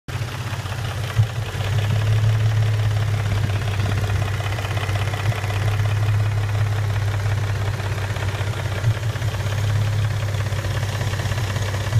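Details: 2006 Nissan 350Z VQ35DE rev-up engine, manual, 60K km, oil level OK, with MREV2 plenum, Stillen headers, side exhaust and oil cooler: deep idle with irregular knock a few beats per second, source unknown.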